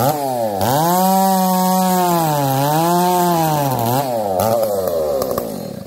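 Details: Two chainsaws (366 and 70-series, alongside Ironhorse 371xp): revs wander up and down with uneven popping as it surges; 366 lean, 70 lean/rich; owners suspect bad fuel, saws wouldn't tune; cause unclear.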